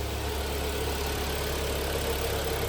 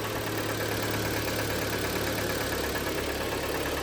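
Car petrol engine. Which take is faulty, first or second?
second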